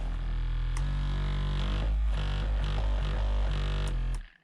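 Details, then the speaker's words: Left-side vibration massage motor in a foot warmer and massager pad, cover removed, heater off: deep, steady buzzing hum with a slow pulsing throb that cuts off cleanly; motor running normally, unlike the failed right side. "so it's got a vibration um like a motor on it and on this side the same"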